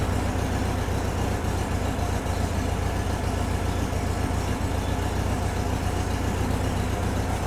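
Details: VW-based Porsche 356 Speedster kit air-cooled engine, test after remote oil filter over-pressurization repair. Oil pressure around 50 psi and settling, no leaks, oil cooler warming. Smooth, even low idle with no knocks or ticks; healthy.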